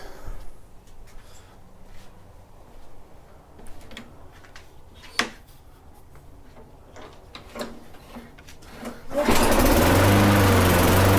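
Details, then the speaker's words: Older Toro Recycler mower with Tecumseh engine after no-start repair, oil change, blade, plug and air filter: clatter then it fires and holds a steady even buzz without misses; running well, smoking off oil. "okay well there you have it everything should be good to go everything seems to be running"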